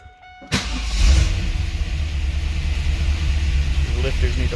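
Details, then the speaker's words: 2002 Pontiac Trans Am on its first start after installing a Tick Performance Street Heat stage 2 cam and long-tube headers: the engine catches and runs with a rough, uneven, loping idle as the lifters clatter, not yet pumped up. Lifter noise on first start. "up it's running but it's running like crap these lifters sound bad"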